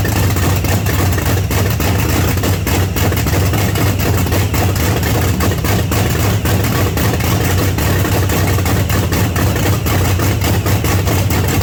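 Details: 1979 Pontiac Trans Am with freshly overhauled 400 V8 on first start through open headers: loud, loping, uneven idle beat; rough, rich-sounding idle, idle needs raising and fuel taken off.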